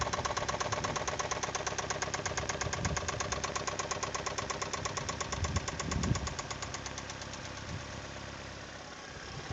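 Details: Toyota 2E engine, knocking began after a 5-minute run at 155 km/h by speedometer: quick, steady metallic knock over the idle, keeping time with the engine; internal knock, cause unknown.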